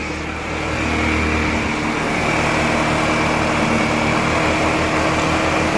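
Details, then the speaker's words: Wolf EX-150 scooter, GY6 157QMJ 150cc four-stroke single, after repair work, carb primed: fairly loud but even idle with steady beat, no misses or stumbles; running normally. "Now this, my friends, is what I call a day's work well spent. Listen to that idle. So good, man."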